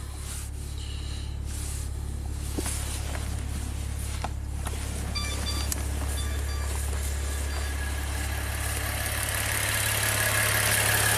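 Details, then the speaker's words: 2016 Maserati Ghibli twin turbo after timing chain replacement, waiting for the O2 sensor monitors to pass: a steady, low, even idle hum with no knocks, ticks or hunting. It sounds smooth, with no leaks or smoke. "Sounds smooth, no leaks, no smoke. So, pretty pleased with the result there."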